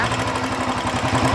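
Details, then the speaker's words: Royal Enfield Bullet 350 Electra single at idle; light sharp tapping keeping pace with engine speed, quieter than before; worn rocker contact pad causing valve tappet noise, to be leveled with emery paper. "जो टक टक टक टक टक आवाज आ रहा है इसमें इंजन के साथ अगर इंजन फास्ट कर रहे है तो फास्ट आवाज आ रहा है स्लो कर रहे तोलो आवाज आ रहा है बट अभी पहले से कम आ रहा"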